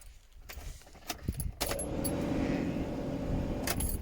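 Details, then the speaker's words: Nissan Micra converted to Megasquirt ECU, ignition switched on: sharp ECU and fuel pump relay clicks, then the pump hums steadily priming for about five seconds and clicks off when no crank sensor signal is seen; normal prime safety feature. "you might have heard the fuel pump priming thus basically it Prime's for five seconds and if it doesn't sense that the engines turning over via the crank sensor it will switch back off again"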